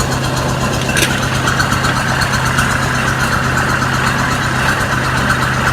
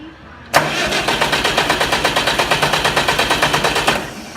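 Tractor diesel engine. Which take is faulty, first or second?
second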